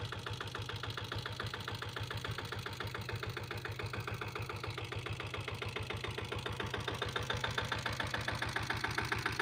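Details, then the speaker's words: 2000-model Taurus diesel motorcycle, factory diesel, after self-start: steady, even thumping idle at about three and a half beats a second, slightly louder toward the end. Healthy single-cylinder diesel idle; owner calls the engine condition good. "வண்டி engine condition பார்த்துக்கோங்க. Engine condition எல்லாமே நல்லாயிருக்கும். வண்டி beat சூப்பராக இருக்குன்னு வண்டி இது."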